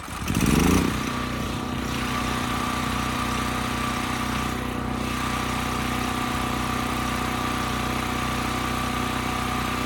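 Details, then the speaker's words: Westinghouse 7,000-watt generator after carburetor cleaning, loaded with 3000 watts: brief start surge, then steady drone holding speed without hunting. Speed sounds right, multimeter agrees near 60 Hz; Kill-A-Watt reads 75–80 Hz. "The engine speed sounds right to me, and when I look at my multimeter, it would agree."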